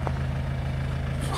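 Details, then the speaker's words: 2003 (53-plate) Kia Sorento 2.5 TD diesel with an automatic gearbox: a low, steady idle with no knocking, ticking or misses. The engine runs sweet, and the gearbox is smooth with no clonks. "you can hear the engine, sweet as a nut. The automatic gearbox is lovely and smooth, and it don't clonk, it don't bang, it don't do anything."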